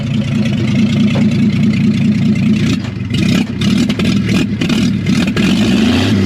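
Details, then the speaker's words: 1949 Chevrolet truck with inline six, exhaust removed after a bolt snapped while fixing an exhaust leak: loud, raw, crackling idle with sharp open pulses and blips; straight-piped, open exhaust with no muffler. "It's awesome. I barely touched it. So then I decided we're just going to straight pipe this dude."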